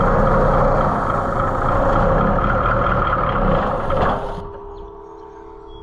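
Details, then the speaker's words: White 4-150 tractor, Caterpillar 3208 V-8 diesel, throttle wide open, cranking on ether; uneven compression beats never catch, then stops; no smoke, so owner concludes it's not getting fuel. Crank, no start. "and that is it will it's not getting fuel. It should have been smoking. Things should have been happening and they just aren't."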